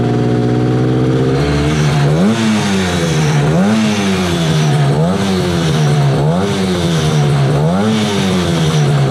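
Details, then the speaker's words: 1968 Yamaha YAS1C 125 two-stroke twin, carbs cleaned, choke off: revs rise and fall in slow uneven surges, hunting; right cylinder missing while left is steady, better with choke; owner suspects right carburetor pilot jet. "see you can hear the difference this one is this one's steady so there's something going on on the right side"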